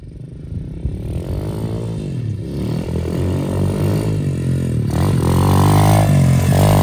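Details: SSR125 single-cylinder pit bike, final ride after full rebuild, frame straightened and reinforced after hard crash: pulls cleanly under load, pitch rising smoothly through the revs with no stumble or hesitation. Normal running under load.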